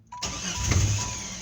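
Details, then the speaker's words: 1993 Jeep Grand Cherokee 4.0 after sensors, distributor, plugs and wires were replaced: catches, then one sharp pop as the throttle opens and the revs sag away and it dies. Backfire then stall, cause unknown. "it just backfires and then just dies"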